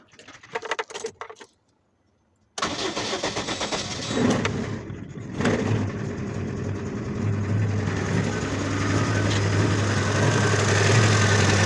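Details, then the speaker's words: GAZelle engine misfiring on cylinders 1 and 4; gas line removed and valve adjustment checked. After swapping injectors it starts, then idles with an uneven stumbling beat about three per second, unchanged, so the injectors are not the cause. "в общем, әңгіме форсункаден емес. Так, в общем, қалай перевойлап тұр, дәл солай перевойлап тұр."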